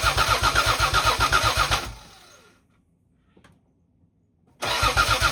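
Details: 1986.5–1992 Toyota Supra MK3 that won't start: the starter cranks the engine steadily, about four beats a second, stops, then cranks again without ever catching.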